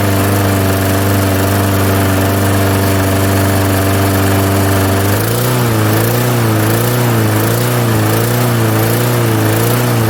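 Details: 1998 Murray 20506x8a push mower, auction find, throttle on rabbit, no working kill switch: small single-cylinder engine fires and runs at steady high throttle, pitch wavering slightly later; otherwise running normally.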